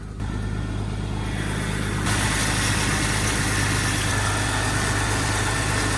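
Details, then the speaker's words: 2004 Jeep Grand Cherokee 4.0, hood up at idle after throttle position sensor replacement, muffler leak audible: harsh steady whirring and hiss rising after two seconds, power steering pump sounds awful, about to explode; valve cover dry, no oil leak. "all looks dry my power steering pump sounds like it's about to explode so that's terrible oh yeah it sounds awful"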